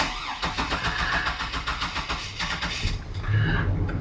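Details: 2003 GMC Sierra V8, cold start on a newly connected battery with likely old gas, no throttle touched: cranking pulses, then a lumpy, uneven idle that begins to steady; rough cold idle.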